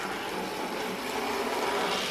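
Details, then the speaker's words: 40+ year old Bachmann De Witt model train set, motor in tender, speed turned down on track without underlay; soft even whirring hum, steady pitch, no stutters; smooth running, only occasionally jerky. "But there you go, we've turned it down, and look at how smooth that's running."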